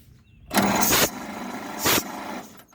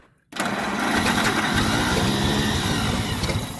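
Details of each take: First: 1927 Pirsch fire truck, first start attempt in 29 years, 6 V system cranked on 12 V battery, cylinders soaked in oil, plugs out: two bursts of hissing chuffing cranking, air puffing from an open cylinder. Compression present. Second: 1927 Pirsch fire truck engine, first start since about 1994: it catches and runs raggedly for about four seconds, then dies. The carburetor float is hung up and fuel is pouring out of the carburetor.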